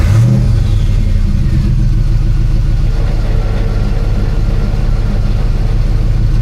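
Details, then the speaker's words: After full exhaust repair (header welded, flanges, hangers and sensors refitted): a quick rev blip settles into a deep, steady idle with no ticking or puffing. The exhaust leak is gone. "All right. Well, it definitely doesn't sound like there's an exhaust leak anymore, so that's good."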